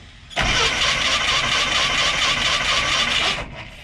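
Steady, even starter cranking for about three seconds; the engine never catches before the key is let go, so it cranks but won't fire.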